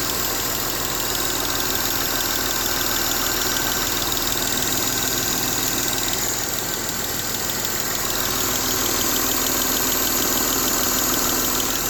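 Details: Mercedes M272 engine at idle: fast light ticking, about three per second, over a steady idle; cause not clear from the sound.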